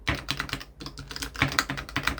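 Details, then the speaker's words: AliExpress all-button leverless arcade controller with one corner rubber foot removed: rapid button clicks, each with a hollow knock as the case rocks on its uneven metal corner screws; with all feet fitted it is stable. "you hear that super stable no rattle let me take this one off you hear that starts"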